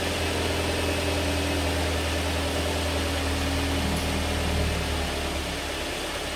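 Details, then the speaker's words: Mazda MX5 mk3 2.0 started briefly after oil and filter change (4.3 L) to fill the empty filter: catches quickly, settles into smooth steady low idle, no knocks or rattles; all good. "all good. That should be enough to fill the oil filter up."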